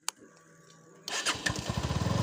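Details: Bajaj Pulsar NS 160 BS6 with a starting problem, after the sensor that had cut power in a tip-over was reset and updated: brief starter whir, then an even, steady idle thump with no misses; normal engine start.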